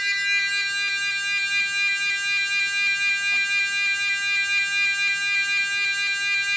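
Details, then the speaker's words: Vintage aircraft fire-alarm audio warning unit on a bench power supply, driving a loudspeaker from its rear connector. A steady, high electronic tone pulsing about twice a second with a buzzy edge, clean and even. The warning unit sounds normally. "Okay, so you can see that we have effectively an alert sound."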